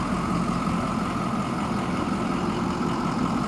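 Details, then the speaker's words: 2006 Ford E-450 Blue Bird minibus, 6.0 L diesel, jump-started (no batteries) and started with starting fluid; steady even diesel idle, smooth low rumble, no knocks or misses; motor sounds really good, normal idle. "And we had to spray starting fluid to get it going. Motor sounds really good."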